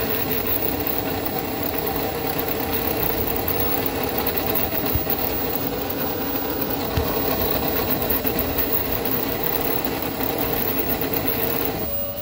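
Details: 1998 Club Car DS golf cart coasting at no load: thin steady whine with a rattly undertone, quieter under acceleration or deceleration; rear transaxle noise from dry motor-to-differential spline.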